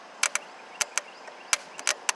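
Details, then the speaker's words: Exmark mower Kawasaki starter bench-tested off the machine, jumped straight from the battery: sharp irregular snaps and crackles from the jumper contact, no motor whir, with smoke coming out; the starter is seized and burnt out. "say nothing but you see a lot of smoke coming out down there it's not doing anything"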